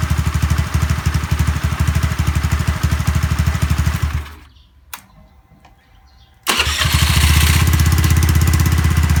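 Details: Honda Zoomer-X fuel-injected scooter after new fuel filter and electric fuel pump: even single-cylinder idle, shut off, then restarts immediately and holds a smooth idle; hard-start and stalling fixed.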